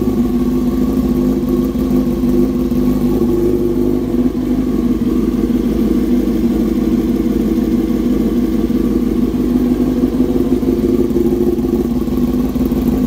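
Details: 2007 Yamaha R6S inline-four, first start after replacing ignition coil with a new one: steady even idle, smooth mid-pitched drone, no misses or knocks; runs healthy.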